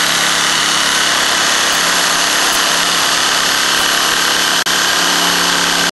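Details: Trimmer that sat six months in freezing Utah weather, carburetor blamed, started with a reversible drill spinning the starter in reverse: a steady, high two-stroke buzz at even pitch with two brief dropouts; it is running normally at speed.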